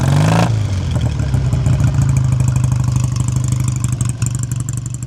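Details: 1959 BSA A7SS Shooting Star 500cc twin, older restoration: deep, steady twin thump at idle with an even beat and no tapping or clatter while warming up. Normal, healthy idle.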